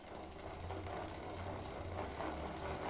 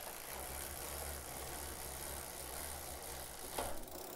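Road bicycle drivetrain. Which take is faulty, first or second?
first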